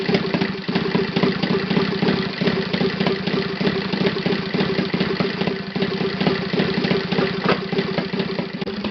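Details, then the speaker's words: Saito FA 270T twin model engine on stand, first run after eBay purchase and kerosene cleaning, hand-started: quick, even popping idle at steady pace, no misses or clatter; normal clean idle. "That's idle, and that sound I like very, very much."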